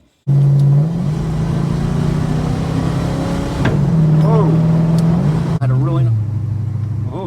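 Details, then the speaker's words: Car with an automatic transmission pulling away: engine pulls through stepped gear changes with one sharp clunk mid-run; owner thinks the auto is on the way out, cause unconfirmed. "I think my auto's on the way out. When I took off down North South Road, and I did, and made that horrible clunk, leaving Woodgate."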